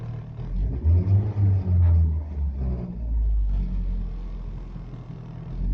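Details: Rover 214SLi K-series: low, uneven rumble that stumbles and surges through 1000–2000 rpm, with cabin vibration and poor throttle response that improves above that range; owner suspects a misfire, cause not confirmed.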